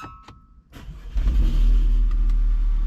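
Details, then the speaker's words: Audi restarted after 10-12 gallons were drained from the tank through the scan-tool basic-settings fuel-drain function, yet the gauge still reads full. It cranks, catches and settles into a low, uneven, lumpy idle of about four beats a second: running rough, and the owner suspects something else is wrong. "Ooh, that sounds rough. I don't know, it still says the tank is full. So something else might be wrong on top of everything else that might be wrong with this car."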